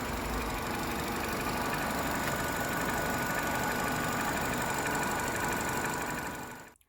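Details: Volvo V70 after a new timing chain, previously a non-runner from jumped timing: smooth, even idle with steady hum and no rattle or knock from the engine front; healthy engine, though the in-tank fuel pump is reported noisy.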